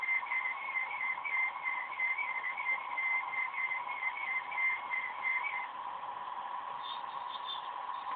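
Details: OCZ ZX1250 80+ Gold power supply during the standard Windows 7 performance assessment: high-pitched electronic whistle with pulsing upper squeal shifting with load; choke coil whine.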